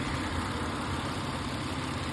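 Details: Toyota Avalon V6 started by remote start, transmission flushed with Toyota ATF: steady, even idle with smooth low rumble and no knocks or misses; normal idle.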